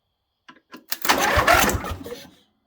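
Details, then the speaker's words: John Deere Scotts lawn tractor, main fuse kept blowing: with starter solenoid bypassed by bridging its two terminals, sharp clicks then engine turns over with rapid chug; solenoid bad, replaced, then starts fine. "and the thing just wants to turn over so i think i'm gonna buy a new solenoid and replace this one and my troubles should be gone"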